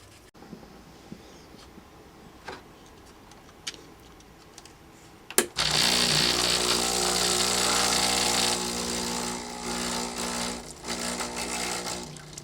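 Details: Breville Barista Express BES870 espresso machine, test run after installing a dimmer mod: after a quiet start, a steady buzzing hum with water hiss runs evenly. The vibration pump works normally and the mod works.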